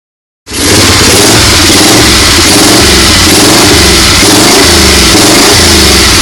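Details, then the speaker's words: 1970 Moto Guzzi Ambassador V-twin, first start after a full teardown rebuild and a corrected way-off distributor timing (plug leads swapped): loud, steady, even running with no misses, knocks or rattles. "my distributor was off like way off so i split the parka and plug leads around and we got fire she runs"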